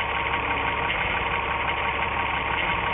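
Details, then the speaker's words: 1997 VW Eurovan, 2.6L VR6 AES engine with waste-spark coils, misfire and multiple codes; a known-good plug wire pulled off at idle: rough uneven idle with faint irregular tapping, visible and audible spark arcing, engine runs worse. "i'm sure you can see that spark and hear it too and you can also see the engine runs a little bit worse when i pull that off"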